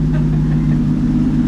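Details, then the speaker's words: 1951 Chevy pickup, six-volt points-and-condenser ignition, abandoned 40 years, revived; steady, even low idle with no misses, knocks or stumbles and little smoke; the old six runs smoothly and healthy. "You know, it ain't even smoking that bad. No, not bad at all. That is wild."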